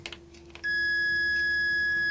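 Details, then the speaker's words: 1994 Mercedes E420 non-ASR throttle body on the bench after wire repair: multimeter probes on the idle switch, quiet then a steady high continuity beep as the switch closes; switch engaging properly. "so we're going to put my multimeter here I'm going to try to do it somehow with one hand it's basically going to beep when uh when the when the switch is"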